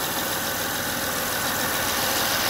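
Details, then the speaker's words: 2005 Honda Odyssey at steady, even idle with no whine after replacing the failing power steering pump; power steering now quiet and running smooth. "let's see if the noise goes away or not start there you go no noise [Music] running nice and smooth"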